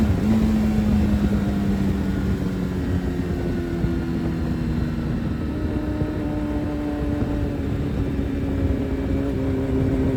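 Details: Suzuki Hayabusa with a built motor and aggressive cams, on a road test after cleaning its clogged fuel filter; before, it only reached about 7–8,000 rpm. The engine note climbs steadily under load with no stumble or flat spot, revving all the way through. Normal full-rev acceleration.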